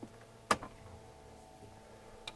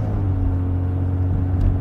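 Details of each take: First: 1990 Jaguar XJ40 Sovereign start: a few quiet clicks and ticks from the dash as the instruments wake, then a clean crank and catch into a steady rising idle; healthy start. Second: 1990 Jaguar XJ40 Sovereign while moving: deep, steady, coarse rumbling drone from exhaust gases escaping through a punctured exhaust; car becomes fairly quiet once at a constant speed.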